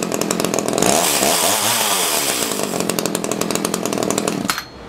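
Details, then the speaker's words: Echo CS-330T top-handle two-stroke chainsaw, unused for years, after old gas containing water was replaced with fresh gas: crisp buzz revs up and holds steady with even firing and no stumbles; now runs pretty good. "that's it fresh gas runs pretty good"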